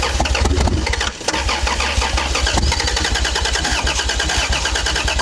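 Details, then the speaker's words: Toyota Supra turbo six, first start attempt in 15 years, throttle held wide open, on a jump pack with a newly wired immobilizer; rapid cranking with one short stumble firing, then more cranking. Catches briefly, no sustained run. "did it start it started technically right it did start I think there must have been a bit brake cleaner somewhere"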